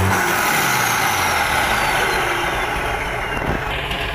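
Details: Mitsubishi Fuso 6D22 build-up diesel truck engine tested after repair/service, before fitting into the chassis: loud, even deep steady rumble with smooth rev, no knocks or misses; healthy.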